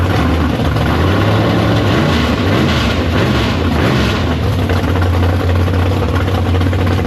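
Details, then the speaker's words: Big block Chevy V8 in the Farm Fresh gasser on first start after sitting, 750 carb, downjetted; loud, deep, lopey idle with a steady heavy rumble, no knocks or ticks. Healthy normal big block idle. "But the thing runs. I got up to temp and everything like that. We just checked, made sure it goes forward, backward, no leaks."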